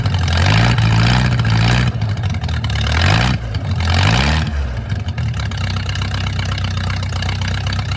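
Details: Mercruiser 470 3.7L marine engine, first run in 16 years after fuel reached the carburetor; catches, blipped up and down a few times, then settles to steady even idle, no misses or knocks. Automatic choke not working properly, owner suspects wiring. Normal idle.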